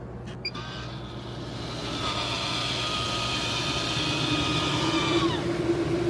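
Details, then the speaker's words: MaxxAir RV roof fan, just cleaned with the blade assembly removed and reinstalled: it spins up to a smooth, steady whir with an even tone, no wobble, rubbing or rattle. It works fine after reassembly. "It's spinning nice and even. It's nice and clean. I'm happy."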